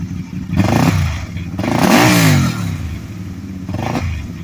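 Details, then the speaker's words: 2010 Can-Am Spyder RS 990 three-wheeler, Rotax twin: catches and idles, then blips up cleanly, pitch rising and falling smoothly with no misfires or knocks, rowdy sound; normal idle and revs. "You can kind of get a has kind of a rowdy sound to it. Sounds kind of good. When you get on it, it sounds good too,"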